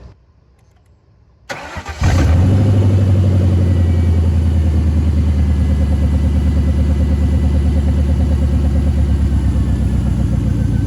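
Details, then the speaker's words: Lifted Lincoln Town Car V8 at idle after storage, lumpy uneven idle with a regular stumble; unplugging each one in turn shows one cylinder makes no change, so that cylinder is dead, causing a single-cylinder misfire. "Well, that one's not changing much. That might be our dead player."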